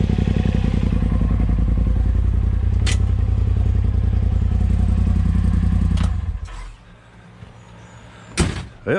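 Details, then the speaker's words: 2020 Polaris RZR Pro XP after clutch alignment, with shim rings added (8 fitted) so the belt no longer touches the sheaves. The engine starts and settles into a steady, even low thrum with no belt slap, then shuts off. "See, now the belt is now not touching the inner or the outer sheave of the clutch, so we're good to go. Heck yeah. Let's crank it up, see how she looks."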